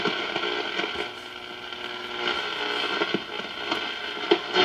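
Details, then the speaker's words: Vintage Philips Bakelite shortwave radio on shortwave with no antenna: steady hum, whistling harmonics and hiss, no stations; external antenna needed. "we have a plasma tv here which of course makes lots of noise but my neighbors also have them everybody's watching tv the am band is just annihilated"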